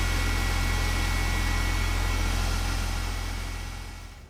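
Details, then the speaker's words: BMW 330ci E46 just after replacing the failed, leaking water pump with a new Gates pump, running to cycle coolant: steady, even low hum at idle, no knocking, ticking or squealing, no leaks; normal idle. "Well, so far so good. Nothing's leaking. I didn't miss anything. It's not making any nasty noises, so."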